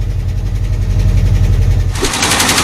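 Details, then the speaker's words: 1984 Ford F150 V8 donor truck being revived, running: fast steady knocking with harsher rattle near the end; owner suspects possible rod knock, cause unconfirmed, also investigating behaviour under load. "okay i went ahead and changed the oil on this thing because as you can hear it almost sounds like there might be a rod knock well maybe one i don't know but there is something going on in there"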